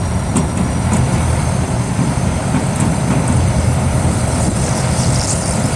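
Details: GAZ tracked all-terrain vehicle after repair, deep even engine rumble with a low clatter of running gear while maneuvering; engine running smoothly and healthy.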